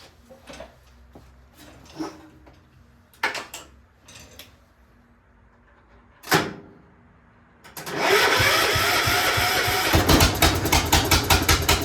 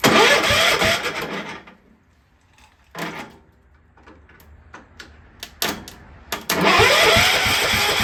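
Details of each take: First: Free Cub Cadet 1250 garden tractor restarted after repairs: some clicks and clunks, then the small single-cylinder engine settles into an even chug under light load as it moves forward. Running fine. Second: Cub Cadet 1250 engine, unrun for seven years, fed from a borrowed fuel tank: the starter churns about a second, pauses, then cranks again without firing; cranking no-start with no spark because the plug wire was unhooked, and the owner thinks it is now flooded.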